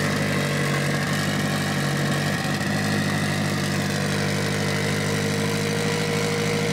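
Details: Mitsubishi Evo 8 4G63T with front-facing turbo kit, first start after engine rebuild (pistons, crank, timing); high idle, throttle body adjusted; now smooth steady idle, even low hum, no hunting, hiss or ticking: normal idle.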